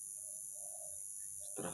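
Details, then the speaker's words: CRT TV with normal picture and sound, antenna unplugged: short repeated loud chirps over the steady tube whistle from the regulator (switching power supply) area. "Oke semuanya, TV ini mengeluarkan suara kicauan yang cukup keras. Ya, ini cukup mengganggu meskipun TV-nya normal, tetapi diserta"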